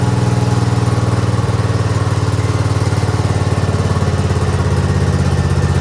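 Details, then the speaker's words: Craftsman GT6000 garden/snow plow tractor at 26°F: steady low single-cylinder thump, running only on full to 3/4 choke, stalls past half; gas sat in carburetor all year without a fuel shutoff, gumming it. "It runs only good when you're at full choke and then 3/4 choke. If you do it any more than half, it wants to stall. Which means that because I didn't put a fuel shutoff on here last year, I let gas sit in the carburetor all year in the carburetor."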